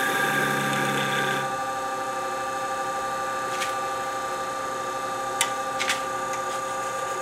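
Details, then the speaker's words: Wood lathe turning a slender sapele bell-ornament handle with a skew: steady high buzzing ring with scraping bursts as the thin unsupported work chatters; supporting it with the tailstock was suggested. "You hear the vibration out there. He's not happy out there."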